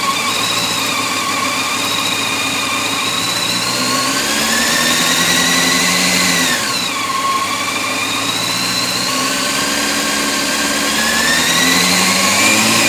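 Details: 2004 Honda CBR600 F4i engine: rapid metallic ticking from the top end rising and falling with revs; owner suspects the cam chain tensioner, cause unconfirmed.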